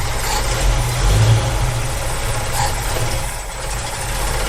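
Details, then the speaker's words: 1965 Ford Mustang with Edelbrock carburettor, V8 idling on only a few cylinders: lumpy, loping, shaking idle that nearly dies when one side is sprayed; suspected blocked idle circuit on the other side. "that side almost kills [Applause] it and that Pi the re up so um my guess is this side of the idle circuit is blocked somewhere and this so it's just really trying to idle on one side"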